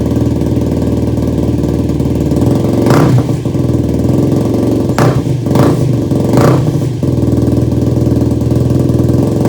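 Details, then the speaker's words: Yamaha YFZ450 single-cylinder quad, first start after engine rebuild and carburetor mid-body rejetting with new jets: idles lumpy and uneven, stumbling blips instead of clean pickup; rough running, owner unsure why and plans to pull carb and rejet (fuel was actually off). "All right, folks, well, that wasn't a very good first start here. So I'm not sure what's wrong with it."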